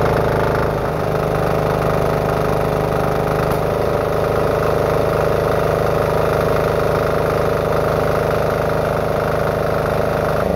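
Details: Diesel-engine-powered cordless air compressor, finished after six months of building with check valve setup optimized for the pressure unloader and tank leak fixed: steady, even diesel chug at constant speed, no knocks or surging; normal running.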